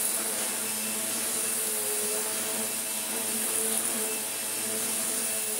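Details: Vorwerk Kobold VK150 vacuum in automatic mode: steady, even high-pitched motor rush with constant airy hiss, no surging or rattles; normal vacuum operation.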